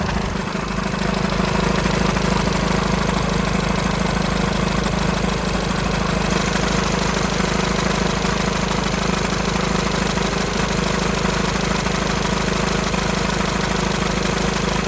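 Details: VW Sharan 7N 2.0 TDI CFFB common-rail diesel at idle after timing belt, fuel pump, filter and injector removal, cold start without bleeding injectors: fast light regular rattle about twice a second; owner suspects bad tensioner pulley, not the engine.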